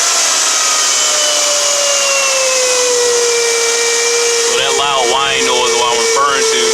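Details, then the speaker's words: 2009 Toyota Camry, engine running, battery had been dead: loud steady high whine around five hundred cycles with strong vibration; alternator fault, replacement on order. "also what you can do is just take the connector off and the noise should shut up which will indicate that is an alternator fault"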